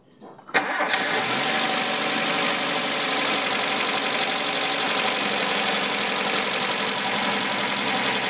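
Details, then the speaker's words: Suzuki Futura injection (2007) after fixing a coil with no spark: engine catches at once, rpm rises then drops to a steady, even idle with no shaking or hunting, unlike the earlier shaking misfire. "Nah setelah kita ganti jos sekarang mesinnya engak goyang-goyang lagi di RPM juga normal rpm-nya perama naik due kemudian turun"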